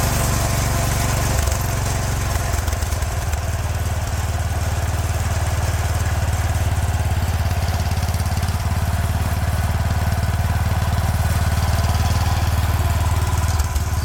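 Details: 36-year-old Toro Wheel Horse 416-8 garden tractor after fixing a leaking fuel line: small single-cylinder putters at a steady, even beat with no misses or surging; sounds pretty good, normal running.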